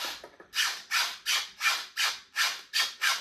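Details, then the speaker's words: New Independent skateboard trucks rocked back and forth give loud rasping squeaks, about three a second, usually caused by the pivot cup; owner plans to oil it. "I'm having trouble with them squeaking which is it's usually caused by the pivot cup here"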